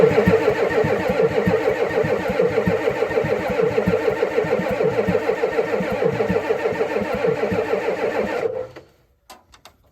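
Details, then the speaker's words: 1988 Ford F350 7.3 IDI diesel, sitting since the 1990s, 20s°F, no glow plugs yet, valve held open to build fuel pressure: steady starter cranking about three turns a second for eight seconds without firing; fuel then reaches the injection pump. "Let's go ahead and see if we can build us up some fuel pressure. So let me get something to press that valve, and then we'll crank her over and see what happens."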